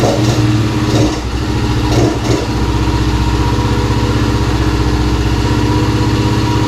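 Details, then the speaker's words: 2017 Kawasaki KFX50 kids' quad, sat for years, petcock switched from reserve to on: small single settles into steady even idle after brief blips; starts and runs normally, though it later won't take throttle. "okay so we made some progress obviously it starts and runs now"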